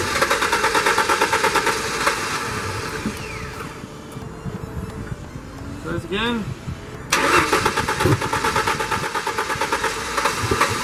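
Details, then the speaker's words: 94-98 Ford Mustang cranks with a quick rhythmic chug, catches briefly on ether then dies and cranks again without settling; crank no start, coil issue suspected. "so what we're going to do now i'm suspecting a coil issue because it starts up firing and just dies"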